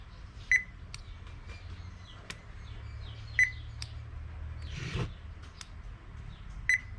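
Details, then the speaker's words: Toshiba washing machine control board that turns on while the button is held but dies on release: three short high beeps about three seconds apart, and the relay does not energize; 5 V/12 V likely present, relay supply suspected missing. "และก็กดปุ่มแช่นีกดได้นะปล่อยมือดับเลยนะครับโดยที่ไม่ต้องปิดเครื่องนะก็กดแค่นี้ก็สังเกตได้นะครับว่าตัวรีเลย์มันไม่โตนะครับ"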